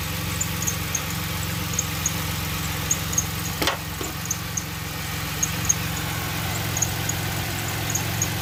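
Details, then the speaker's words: 2006 Pontiac Grand Prix 3.8L V6 idling after a coolant top-up with heater on and bleeder open: uneven idle with irregular thumps, engine shaking quite a bit; owner later suspects a blown head gasket from heavy coolant bubbling. "Definitely shaking quite a bit."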